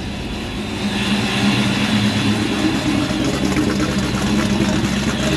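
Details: Mild stock-block 347 V8 with Vortech V-1 supercharger (about 12 psi) and Holley Super Sniper EFI, first start on a new fuel pump: steady, fairly even idle with soft low rumble, no knocks or misses.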